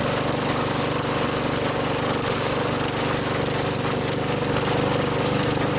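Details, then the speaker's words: Craftsman 21in push mower with a 5.5HP Tecumseh engine that previously started only when primed, then stalled. After a quick carb bowl cleaning with carb cleaner, fuel flows and it holds a fast, even, steady beat, no surging or misfires. Normal running. "There we go. Got fuel coming out now. Fuel will stay running. How about that?"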